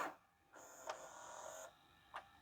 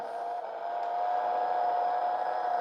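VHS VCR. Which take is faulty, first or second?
second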